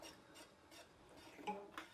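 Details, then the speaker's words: Porsche 912 engine stored unrun for over a decade, cooling fan turned by hand: faint dry scrapes about every third of a second as the fan rubs its shroud; a loose nut was suspected in the shroud, and a missing gasket was found. "fan is hitting the shroud it's not supposed to make that sound"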